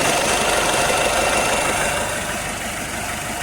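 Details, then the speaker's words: Citroen Nemo diesel: idle with a hard, slightly uneven clatter about 220 beats a minute, rough running; the fuel turned out to be petrol in the diesel, and a leak was also found. "It's actually petrol. Somebody's filled this diesel with petrol at some time. So there's the real reason it's not running right."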